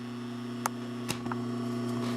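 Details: Pfaff 134 sewing machine clutch motor switched on: steady low electrical hum at constant pitch with a few handling clicks; normal clutch motor hum.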